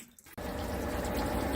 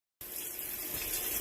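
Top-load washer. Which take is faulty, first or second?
second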